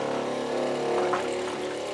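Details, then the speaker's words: Off-grid home water system pump switched on to feed the filter and house lines: steady motor hum with a firm, even tone as line pressure builds; normal pump operation. "so there now it's filling up as you can see see there's a lot of pressure on it"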